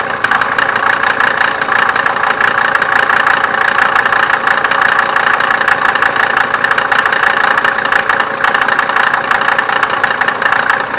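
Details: 1987 Mercedes 190D, OM602 2.5L five-cylinder turbo diesel: loud, even diesel clatter at idle with gravelly mid-range rattle, speed steady; ordinary injection knock, no single fault clearly audible.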